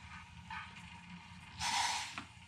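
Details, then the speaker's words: EWK 6.5-litre vacuum oil extractor draining warm engine oil (engine run 30–40 minutes, rested ten): low gurgling then a sharp airy rush as the hose sucks air instead of oil; oil pan is empty. "if you can hear that it's just pulling air so we are good that is all of the oil out of the bottom of the engine"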